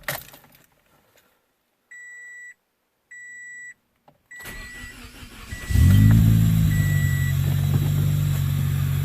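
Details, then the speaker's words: 2006 Toyota Corolla XRS with 2ZZ engine and cold air intake, after starter replacement: chime beeps, brief cranking, then it catches and settles into a steady, even idle with faint intake hiss; healthy. "I'll make sure this thing fires up hear that hisses just a cold air intake on this thing"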